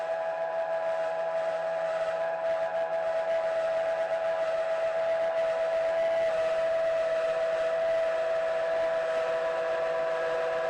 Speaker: well a fair test I think it's grumbling a little bit but I kind of expected that most of the noise is coming from the base and you can hear you know the whole thing rings so there's a bit of work required with the base